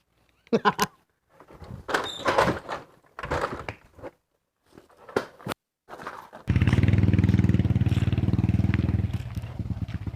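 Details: Honda Wave 125i whose fuel pump went silent and wouldn't start; after the suspected shorted pump was replaced, a few knocks and clatter, then the engine catches and settles into a quick, even putter with no misses.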